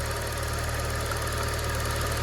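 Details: Used car idling after morning cold start, unused since previous evening, no throttle: steady even low hum with no misses or stumbles; engine runs smoothly, oil unchanged but at normal level.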